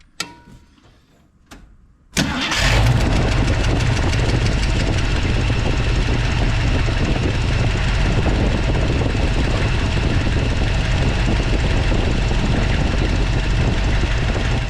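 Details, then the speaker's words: 1979 Jeep Wagoneer AMC 360 V8 (Edelbrock intake, Holley Brawler carb) after swapping bridge-style rockers torqued to 19 ft-lbs: cranks, catches, steady even idle, lifter tick much quieter, slightly noisier as it idles; quiet valvetrain at idle. "Okay, so as you saw, the lifter is a lot quieter. It did get a little bit noisier. Uh, just sitting here idling,"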